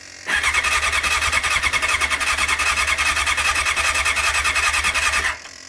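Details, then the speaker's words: 1989 Honda CBR600 restoration with cleaned carbs: steady fast starter whirr for about five seconds with no firing, fuel not reaching carbs because the fuel was not properly turned on. "Right, my fault, I didn't have the fuel on properly again, so I've never had a fuel cap before."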